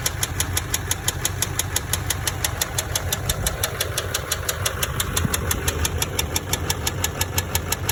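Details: LBZ Duramax diesel truck idling with sharp, evenly spaced metallic knocks, about three a second; rod knock from a spun rod bearing on the crank, after gasoline was put in the truck.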